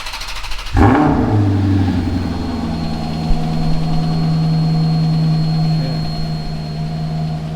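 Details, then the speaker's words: Alfa Romeo 8C Competizione Spider started after an oil change with 9 L of Pennzoil 5W-40, run to warm before the oil check: the starter catches, a sharp flare settles into a fast, even high idle with a steady deep burble. Normal cold start and idle. "Sounds exactly like a 430. Sort of."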